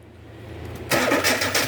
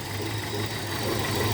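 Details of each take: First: 2002 Hyundai XD (Elantra) petrol engine after replacing spark plugs and plug wires in correct firing order to fix a cylinder 1 misfire: cranks briefly, catches cleanly, settles into smooth even idle. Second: 2002 Hyundai XD (Elantra) petrol engine idling with an uneven, lumpy low beat and shaking, running on three cylinders; cylinder one misfires completely, spark plug and lead suspected.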